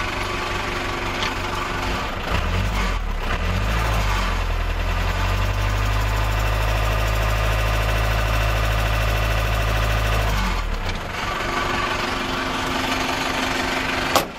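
Diesel settles into a steady low idle with an even clatter around three per second, no heavy knocks; sounds healthy.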